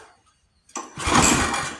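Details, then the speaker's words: Free junk pull-start lawn mower with starting fluid sprayed in: one pull-cord rip spins briefly and coasts to silence, no firing. Owner feels little compression; spark next to check, plug found pretty wet. "Still no. All right. Well, let's. Doesn't feel like it's got a lot of compression."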